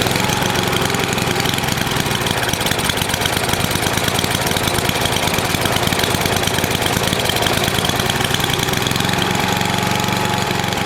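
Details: NOMA 8hp snowblower single-cylinder engine with the plugged gas line blown clear, warmed up for an oil change: an even, fast chatter at steady speed with no surging or dying out. It runs okay.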